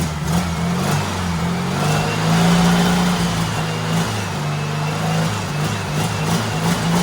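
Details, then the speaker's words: Turbo rat rod Porsche 930 with a new carb revs smoothly through repeated blips, with no misses or knocks, reaching about 8–9 psi of boost (nearly 10): healthy running. "oh my god it almost got the 10 pounds of boost i was definitely getting like eight or nine pounds for sure"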